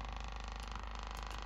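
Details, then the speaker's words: Cerwin-Vega E-208 woofer, about 25 years old, driven by a 50 Hz tone; low steady tone with a fast rattling flutter buzzing over it from the loose surround. Speaker surround flutter. "Obviously, we could also increase the volume as well. And there you can see the flutter's happening."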